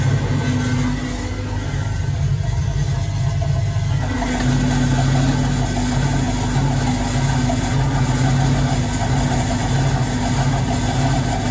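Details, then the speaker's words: Vintage Hotpoint 1012 spin dryer spinning a re-loaded damp laundry batch with the mat on: a steady low hum that rises slightly as the drum settles at speed, smooth with no knocking. "Taking this back out of the washing machine, as you've just seen. Let's put this in. Mat on. Bring it up to spin."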